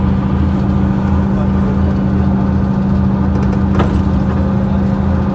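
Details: 2009 Mercedes-Benz CapaCity bus, OM 457 hLA Euro 5 diesel (354 hp), ZF Ecomat 6 HP 602 C six-speed automatic: steady low drone with a constant hum near 200 Hz and pulsing throb; unusually noisy automatic transmission.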